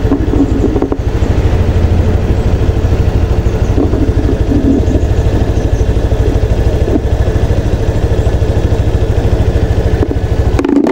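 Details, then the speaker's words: Honda Click 125 V3 scooter idling with a steady even low putter after repair and idle RPM adjustment; earlier hard starting, stalling in traffic and a knocking noise are gone. "Ayun oh maganda na yung tining ng kanyang andar at saka yung lagutok dito Wala na pinong-pino na yung kanyang andar"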